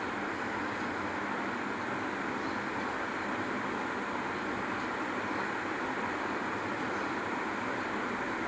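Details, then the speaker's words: Washing machine after service with new drum bearings, oil and seal: even, soft whoosh with no rattle or knocking; previously loud clattering from the drum, now runs smooth and silent. "இப்ப பாருங்க ஒரு voice ஒரு sound கூட இல்ல. ஸ்மூத்தா ஓடுது."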